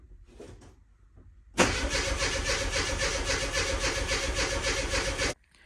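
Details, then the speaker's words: Classic fuel-injected Mini Cooper that previously ran only on carb cleaner: steady fast cranking at about four turns a second for nearly four seconds, but it never fires. About 9 V measured at the pump, pump not heard running; a failed fuel pump is suspected. "I'm going to need to take the tank out take the fuel pump out probably just swap it out just for sanity sake um cuz I just can't hear the thing wearing and I'm relatively confident that's the issue"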